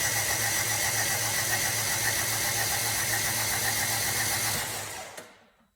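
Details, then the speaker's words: 2002 Rover 75/MG ZT engine that stalled with a bad noise, cranked on the starter with the spark plugs out and the fuel pump fuse removed. The starter spins evenly at about four beats a second with no knocks or scraping, and the engine turns freely. "happens [Laughter] H at least I couldn't sense anything out of the ordinary"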